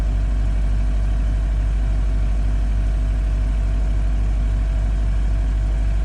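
Cold idle with a steady low rumble and a regular knock around three per second over it; knocking, cause not yet found.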